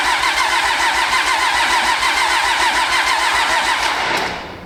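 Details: Pro street truck with new Motec M141 on first start, low fuel supply pressure and rail pressure sensor not yet working: fast even starter churning at about three and a half beats a second, engine never catches; cranks but won't start.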